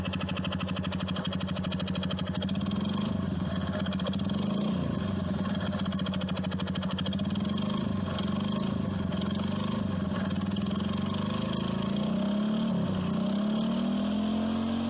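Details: Honda Biz motorcycle, engine rebuilt a year and 20,000 km ago, clutch redone under 10,000 km ago: fast metallic clatter at idle persisting through light revving; abnormal noise, suspected connecting rod or clutch, unconfirmed.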